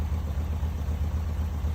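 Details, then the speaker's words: Dream car idling after valve adjustment (at least half the valves had no clearance, spec .006), fuel lines earlier rerouted for suspected vapor lock; smooth even low putter, no ticking or misses, running better than ever: normal idle. "But it sounds like it's running pretty freaking nice right This now. is actually better than it's ever run."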